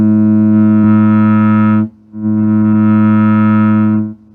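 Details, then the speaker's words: Restored 1951 Gibson GA-20 tube amp with new filter caps, correct tubes and 3-way AC wiring, brought up slowly to about 117 V with a signal generator input: clean steady buzzy test tone in two even bursts, no hum or crackle; working normally. "That's a lot different than it was. Okay, all right, that sounds good."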